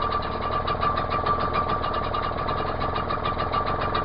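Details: Outboard on Achilles 24ft sailing yacht just after fitting correct B7H spark plug in place of wrong B6HS, choke then knocked off: steady, even putter with quick regular beat, no misses or knocks; idles smoothly, healthy, not yet warmed up.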